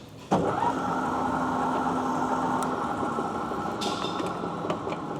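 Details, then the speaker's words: South Bend 14-inch swing tool room lathe, 480 V three-phase, broken apron casting: after startup the gearbox gives a smooth, steady gear hum at even pitch with no clatter or knocking; gears work well. "And you have all these gears. These work all all work quite well."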